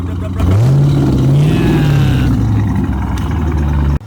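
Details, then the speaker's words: Car bought at auction, started on a jump pack: it catches, settles into a steady idle, and a short rev climbs and falls cleanly; sounds healthy. "let's see how she sounds ah i never charged it the whole right here i didn't charge it go for it sounds healthy"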